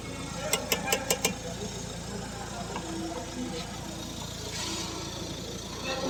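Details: Five quick sharp clicks while turning the steering at idle; worn front strut top mount (shocker) bearing noise.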